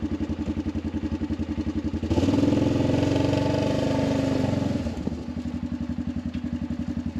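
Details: Arctic Cat 500 ATV outdoors near 0°F, running after no-crank no-start fixed by recharging dead battery: even idle pulses about four per second, clean rev blip, back to steady idle; runs fine.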